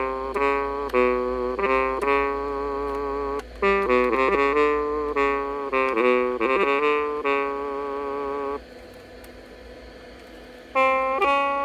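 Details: Casio DH-100 MIDI horn after replacing bad capacitor C39 with a 33 µF through-hole electrolytic: clean sax-like notes in a quick jazzy run, no squeal or whistle.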